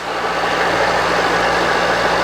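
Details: Milling machine, previously left outside a year, restored and run via VFD with power down-feed engaged: steady even whir with constant low motor hum, no knocking or grinding; normal spindle running.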